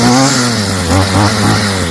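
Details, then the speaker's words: Stihl FS55 trimmer two-stroke after a new Hipa carb kit install, warm restart without choke: fires right off, then a crisp, even buzz holds steady with only small rev swings, no sputter or bogging; normal running. "Let's see if she'll fire right up now that it's warmed up. No choke. Should be warm enough to just go. Oh, boom. Right off the rip."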